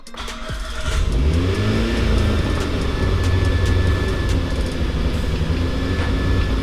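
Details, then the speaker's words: Mitsubishi Evo IX turbo, first start after build: engine climbs to a very high idle that swells and sags, dropping on a blip then rising again; suspected bad vacuum leak causing high idle. "So the car car is running good, it sounds good, it's just idling really, really high, and then you hit the gas a little bit, it'll come back down and then go back up. It sounds like a really bad vacuum leak somewhere"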